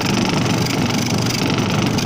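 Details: Salvaged twin-tub (tanquinho) washing machine after replacing a loose motor bearing that had jammed the motor with a loud noise: an even, steady low hum with no scraping or knocking. The motor is running smoothly.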